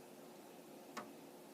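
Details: Amiga 1000 at power-on without a monitor: one crisp floppy drive click over a quiet hum, the head seeking after the internal checks as it looks for the Kickstart disk; healthy.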